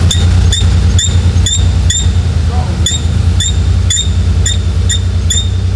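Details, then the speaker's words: Porsche 930 Turbo at idle, engine bay: sharp, high chirping squeaks about twice a second over a steady idle, traced to a dry, squeaky throttle linkage. "that's the throttle linkage that's definitely this squeaked"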